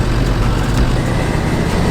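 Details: Land Rover Defender Td5 diesel, under 100,000 km, recently repaired after starting problems, pulling: deep steady drone with turbo spooling in smoothly under acceleration, no knocks or rattles; healthy.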